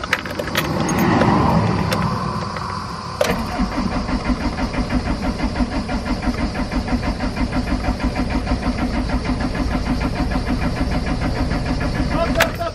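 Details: Camper-van diesel cranks steadily at about three beats a second for ten seconds without firing. Owner checking the diesel fuel lines, and smoke then appears underneath while cranking; cause unconfirmed.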